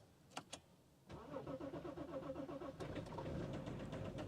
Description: Can this knocking BMW diesel engine be fixed or not?